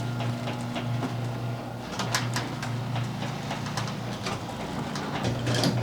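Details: Garage door after noise fixes (roller sleeves, lithium grease, nylon rollers): steady, even opener motor hum as the door travels, with no squeaks, rattles or banging; the door runs quiet and healthy.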